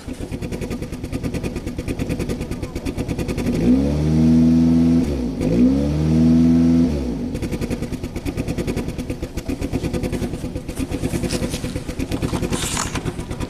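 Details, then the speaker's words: 2010 Chevy Cobalt 2.2 after interior harness fire, ECM and BCM replaced, long-sitting with feathers blowing from the tailpipe and high MAP reading: engine blipped twice with uneven stumbling beat and lumpy idle; misfire, possibly from limp mode. "Now you hear that misfire, that could be because it's in limp mode."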